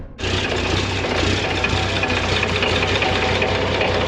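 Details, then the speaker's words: Diesel tractor, cold start at about 30°F before seeding: steady diesel clatter with an even low pulse, no misses or knocks, normal cold idle while warming up. "She's cold. Letting her warm up so I can start seeding today."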